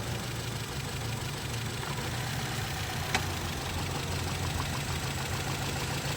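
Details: Automatic car with P0304 and P0420 codes, engine vibrating more in R or D and sound changed: lumpy, uneven idle with shaky low thump stumbling on one cylinder; cylinder 4 misfire, cause unconfirmed.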